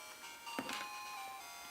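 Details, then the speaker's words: Game Boy Color after speaker replacement: clean, crisp game melody with bright notes and no crackle or buzz; new speaker works properly. "Now that's what I'm talking about. That's some good audio right there. Heck yeah."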